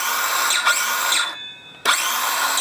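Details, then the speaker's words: Parkside 20V cordless circular saw, small motor, free-running: high even whine spins up cleanly, electric brake stops it quickly, then restarts smoothly; normal healthy free run. "Quite a small motor on it. I'll start it up. It will be noisy."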